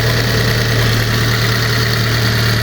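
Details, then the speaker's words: Cheap Fiat 500 petrol after new timing belt, clutch change and oil, first start with parts still off: steady, even idle with smooth low drone and no knocks or misses; normal idle. "Obviously, it's going to run a bit crappy because all this is off the minute. Um, pretty smooth."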